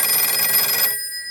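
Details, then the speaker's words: Western Electric 302 telephone with its ringer set to the softest setting: a shrill bell rings, then a thin high buzz of vibration lingers after ringing stops. "So there's some vibrations that you can hear whenever this phone is done ringing."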